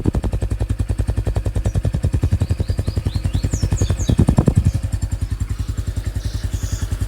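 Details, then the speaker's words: Honda Pop 110 motorcycle at idle: steady, even thumping about ten beats a second with no knocks or rattles; normal single-cylinder engine noise. "É um helicóptero. É isso. É o barulho normal, pessoal."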